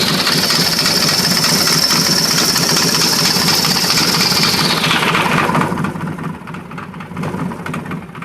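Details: S&S 80 Evo V-twin at idle: loose idle with sharp ticking, rattling clatter about three to four beats a second; knock, cause unclear.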